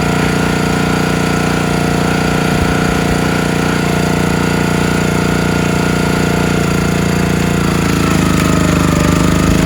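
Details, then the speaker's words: Countyline 25-ton log splitter small engine, after sitting months; carb pulled and cleaned, jets picked, gas tank cleaned, outer gasket poor. Under load while splitting beech it runs rough, uneven chug with stumbles, missing and stalling; owner suspects carburetor not keeping fuel flowing, unconfirmed. "so underload it just won't stay running you can see it's stalling out got to be carburetor but everything looks great in the carburetor I it just sounds like it's not keeping the fuel flowing"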